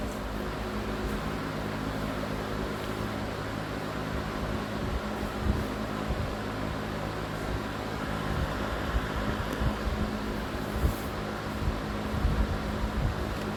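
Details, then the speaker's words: Vintage Emerson box fan, all original-looking including the capacitor, cleaned with motor oiled, on high speed in exhaust mode: steady, even rush of air with a low, smooth motor hum and no rattle or ticking. Pretty quiet; normal running on high. "Pretty quiet fan too. I mean, it's not the quietest fan, but I really like the way these sound."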